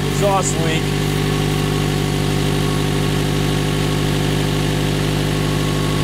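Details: 1996 Toyota Camry with an undiagnosed overheating problem, started after refilling fluids with the old thermostat refitted: a steady idle with a quick, even puffing tick over the engine note; exhaust manifold leak.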